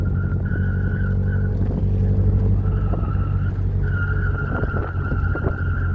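A squeal comes and goes over the road rumble while turning, holding a fairly steady pitch; the source isn't clear from this alone.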